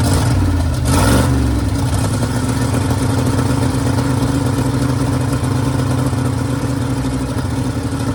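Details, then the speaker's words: Custom cabover with a V8, custom fuel cell set up, started on a jump box with fuel poured down the carburetor, only one muffler fitted: a brief crank, catches within about a second, then a loud, steady, even idle with an open exhaust note; it runs fine. "I forgot it's only got one muffler on it. And it sounds good."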